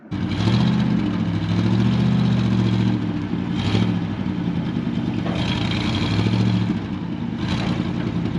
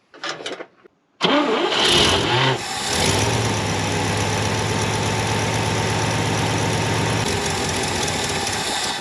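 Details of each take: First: 1970 International Harvester 1200D 4x4 pickup, V8, after clutch free-play adjustment: smooth rev-ups settling back evenly, clean steady beat, no knocks or misses; engine runs well. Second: 1970 International Harvester 1200D 4x4 pickup, long-sitting: starter cranks evenly about eight seconds, never fires; no fuel reaching filter, fuel pump issue suspected, later switched to gravity feed.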